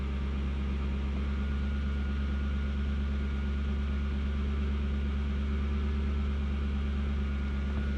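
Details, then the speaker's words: Toyota Soarer/Lexus SC400 V8 that was stalling, after work on the bearings and a plug: starts with a flare, then a deep even burble at about 1000 rpm, steady with no ticking or dips; normal idle, problem fixed. "so uh we appear to have a thousand rpm i've not done anything else when it starts it's got a flare which is nice"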